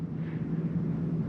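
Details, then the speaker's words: 2022 Jayco Eagle 335RDOK, main AC cranked up: steady low drone with constant hum and even fan rush, no rattles or surging; rooftop air conditioner running normally. "Alright, we can go ahead and go to temperature. Go ahead and crank the AC up."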